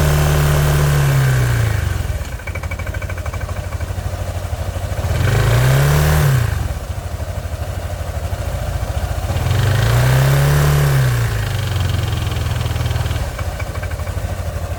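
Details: 2012 Kymco Downtown 300i scooter, 18,000 km, at idle: steady metallic knock persisting through two throttle blips; owner suspects connecting rod bearing or valve problem, unconfirmed.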